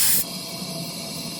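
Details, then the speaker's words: Cub Cadet ZT1 50 riding mower, small front tire being inflated with a ratchet strap cinched around it to seat the bead. A steady loud hiss of escaping air that drops off: air is leaking at the unseated bead, which would not seal. "all right, sounds like it's still leaking from over here, so we're just gonna tighten it some more."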